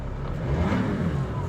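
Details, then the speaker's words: Straight-six diesel, non-turbo; short smooth rev rising and falling evenly, no knocks or rattles; engine sounds healthy, normal revving. "that is lovely not turbo it's got a lovely set as well I don't know if you can hear that that's lovely that really is nice definitely would like to have that engine in my life"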